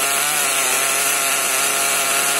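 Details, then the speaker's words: HPI Nitro MT with Nosram RS 18 Evo nitro engine during break-in, warmed with the engine heater and richened: high, steady buzzing rev well above normal idle, getting leaner as it warms; high idle. "You can see the idle's definitely a bit high, but you can actually hear it getting leaner as it warms up as well."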